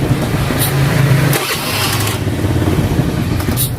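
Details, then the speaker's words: Carbureted Honda Beat scooter after repairing its electric starter, which had only ticked (tek tek). The wiring was changed at the socket where the yellow wire at the white plug was unplugged. It now starts every time and idles with a steady low putter. "mau 10 kali 100 kali dah nyala lagi loh. Oh. Normal udah ini. Aduh normal sudah."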